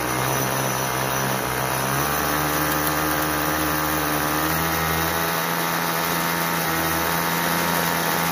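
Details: Troy-Bilt TB32EC two-stroke straight-shaft trimmer, previously stalling when the trigger was pulled and spinning its head at idle, idling steadily after carburetor adjustment; buzz pitch rises and falls slightly as the idle screw is turned.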